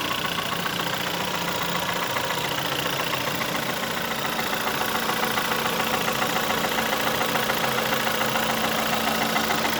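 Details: 2009 VW 1.4 TSI (CAVD) at idle and low revs: quick, steady clicking knock about three or four per second over a smooth idle; engine ticking, cause not yet pinned down.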